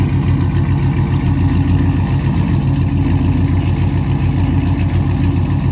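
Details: Pontiac G8 GT V8 started after sitting a couple of hours, back running after new key programming: deep, steady low rumble at an even idle with no knocks, ticks or misses; normal cold start idle.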